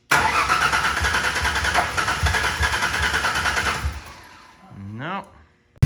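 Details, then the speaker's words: 2000 Ford Ranger 3.0L after rebuild, old-smelling fuel: idle pulses unevenly with a lumpy shaky beat and no steady rhythm before cutting out; running a little rough, cause unknown. "the engine is kind of uh I want to say it's running terrible but it is running a little rough"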